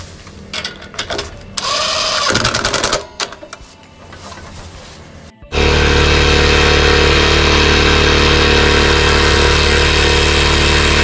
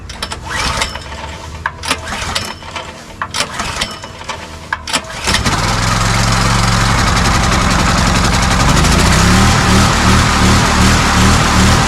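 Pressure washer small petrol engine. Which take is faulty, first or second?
second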